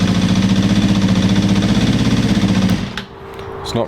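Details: Suzuki GSX250F Across after a carb clean: even, steady idle with a regular pulse until it cuts out; owner says it is running perfectly but suspects gunk still in the fuel lines.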